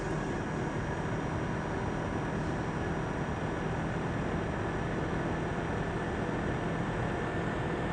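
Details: Asus laptop CPU cooling fan: constant loud rushing air with faint steady whine, no pitch change; fan running loud.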